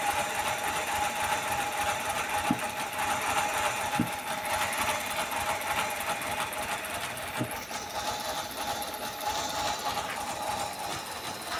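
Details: Mercedes-Benz W211 idling rough with a fast, uneven patter and sharp pops as cylinders misfire; owner also reports delayed starting.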